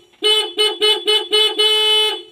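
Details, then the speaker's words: Honda Scoopy scooter with no-ignition fault, after fixing a weak electrical connection: horn gives five short beeps then one long steady tone, clear and strong; horn works while the starter still doesn't, traced to its switch. "Belnya nyala guys dan sekarang starternya ya starternya enggak nyala"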